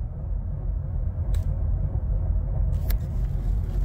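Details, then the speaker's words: 2013–2019 Ford Escape, 6F35 six-speed automatic, at full throttle in drive: engine roars but bucks, jerks and won't move, with no pump whine; poor engagement in drive while reverse is fine; forward clutch slipping, no drive. "just did it there you see that is Bucking and jerking and not moving pedal to the floor right now there is no pump wine and at first when I started the engine and put it in drive it would not move at all"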